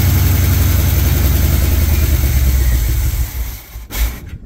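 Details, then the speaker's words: Chevy squarebody truck parked 19 years, first run after timing set: deep lumpy running with an uneven pulse that sags and dies after about four seconds; a little blue smoke, owner blames long storage. Rough running. "no smoke out of the exhaust nothing funny a little blue but I think from sitting for so long"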